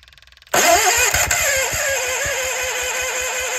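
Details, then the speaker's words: Case 1816C skid steer sitting 10+ years, new starter and flywheel refitted: starter cranks briefly and the engine fires unevenly a few times without running; cranks but won't start, battery charger added to support cranking. "but hey we've made progress to try to fire a couple times so I'm gonna grab the battery charger put it on there just to maintain the battery while cranking"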